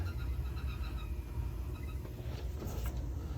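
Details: Burnham gas boiler with pilot lit, 24 volts and 20 PSI confirmed: steady, even low rumble with no knocking, banging or whistling; firing and circulating hot water normally.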